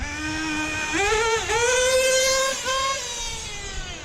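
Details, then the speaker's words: Hobao VS2 nitro buggy at about 42°F, near bottom of tank, after pushing carb lid fully down: revs up and settles cleanly, smooth pitch changes, secondary idle gone. Normal running. "you hear it settle down that's good now this is what it's supposed to run like guys it's finally there"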